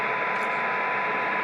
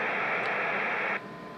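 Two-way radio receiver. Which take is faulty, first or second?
second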